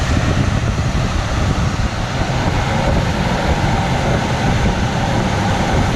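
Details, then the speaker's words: 1982 Camaro Sport Coupe, 305 V8, after capping three or four vacuum leaks: loud, even, steady idle rumble with no misses, stumbles or hunting; smells slightly rich but running healthy on its own. "smells rich but not really rich so running really healthy it's never rained this good"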